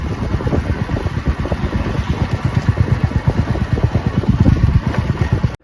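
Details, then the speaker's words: Royal Enfield Meteor 350 riding after rear disc brake repair for a squeaking "chee-choo" noise: steady, even single-cylinder thump with no squeal or scraping; normal rear disc brake. "यह मुझे लगता है सही तो हो गया है। अभी आवाज तो बिल्कुल नहीं आ रही है।"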